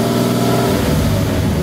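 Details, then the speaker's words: GMC Jimmy (same as Blazer/S-10) with 4.3 Vortec V6, owner reports strong vibration, high fuel use and fuel smell; lumpy exhaust beat snapping toward 3000 rpm, stumbling under load, a rich misfire. "bueno pues ya escuchamos y pues ya vimos que en realidad se está metiendo un poco más de gas de lo normal"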